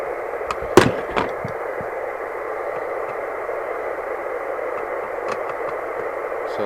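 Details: 1981 Rotel RVC220 CB27/81 UK FM CB radio after repair, via extension speaker: even, steady hiss with no dropouts or crackle, a couple of clicks at first; normal receive audio.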